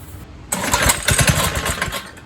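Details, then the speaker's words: 1970s trike, believed to be an MTD Mud Bug, with a replacement ~5 hp John Deere engine idle for 5–10 years: it fires briefly on carb cleaner spray, then sags away. The carb isn't drawing its own fuel, and the float has debris. "Not feeding itself yet. Come on, feed yourself. You can do it."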